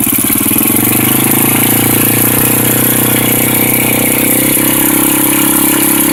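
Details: Honda NX 250 at idle: loose, uneven metallic rattle riding over the exhaust beat; engine rattle, source not identified.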